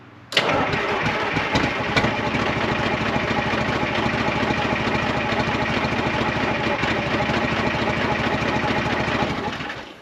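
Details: 1975 International Loadstar 1850 Detroit two-stroke diesel at first start after a blower fix, idle setting unknown. It fires suddenly and runs hard with a lumpy, uneven beat, then dies and won't keep running. The owner thinks it needs more oil and plans to check the fuel filters.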